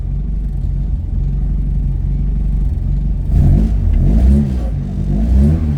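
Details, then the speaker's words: 1976 Ford Escort GL track car with a Mazda 6-speed box: even, steady idle, then three quick throttle blips that climb and drop back cleanly, no knocks or ticks. Normal, healthy start and revving. "Right, we'll fire it up. Couple of pumps. Runs really well."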